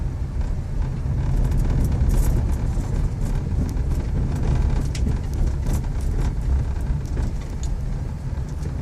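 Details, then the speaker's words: Volkswagen up! I-Motion past 10,000 km driven over rough ground: light irregular tapping and buzzing ticks above the road rumble inside the cabin, a loose part suspected in the right door; interior rattle. "Eu consegui passar num terreno irregular e deu para ouvir o barulho, e eu vou mostrar aí o barulho que está fazendo, tá?"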